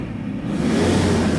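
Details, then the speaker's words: 2007 Toyota Hilux 2KD diesel after repair, on test: revs smoothly with a low, even note; the whistle/squeal, previously near 2000 rpm, is gone, and idle is quiet too. "pero en ralentí la camioneta regulando no se escucha ningún sonido ni ningún ruido como se escucha anteriormente"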